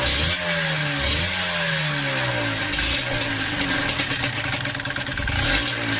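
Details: Yamaha DTR125 two-stroke, fitted with a new piston three days earlier, carb flooding out the overflow pipe: revving with a rattly top-end knock over the exhaust note. Valve clipping, rubbing or slack was suspected; diagnosed as piston slap.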